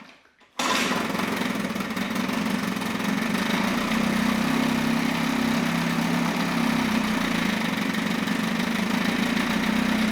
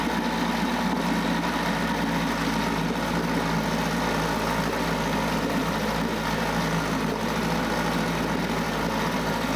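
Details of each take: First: Mercury 9.8 hp 110 outboard after a new impeller and replaced driveshaft seals: a steady, even two-stroke idle that sounds fine, but there is no cooling water flow. The water pump housing cover was installed backwards, so it was shut down. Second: 9.8 hp Mercury 110 outboard after new water pump impeller and replaced driveshaft/lower-unit seals passed a 10 psi pressure test: steady, even buzzy drone with no misses or surges; runs clean before apparently running out of fuel.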